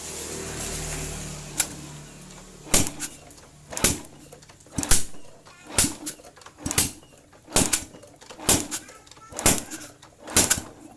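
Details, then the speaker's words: Honda Revo Absolute after fitting piston rings, cylinder block and head, kicked over with the spark plug hole blocked: rhythmic whooshing puffs about once a second, compression sounds strong. "Ini besar ya kompresinya."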